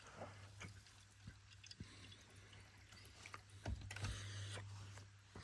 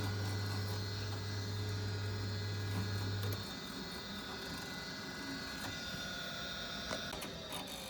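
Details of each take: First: Boiler central heating circulating pump started on demand: low steady hum with faint water trickling through pipes, pump running and moving freer; normal, though gas valve suspected not staying open. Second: Boiler not firing, pump now running: faint steady low hum about three seconds then drops out without burner lighting; gas valve not holding open, suspected as the fault.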